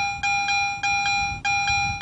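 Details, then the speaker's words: Garrett AT Pro metal detector, high-tone target response heard in standard and pro modes: steady high-pitched electronic tone with crisp pulses about every half second; proportional high sound marking a high-conductivity target, normal. "That's high tone in standard and pro. A proportional high sound to it. So the audible sounds there on the AT Pro also help you distinguish your targets"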